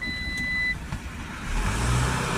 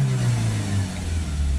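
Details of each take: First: Citroen Relay 2.2 diesel with blocked DPF and vaporizer, P1490: after replacing the differential pressure sensor but before clearing the fault code, dash chime then flat low drone that won't rev; revs restricted to 1800 in limp mode. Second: Citroen Relay 2.2 diesel with blocked DPF and vaporizer, P1490: after clearing the fault code, the revs now climb, deep drone steady with no stumble or cutting out.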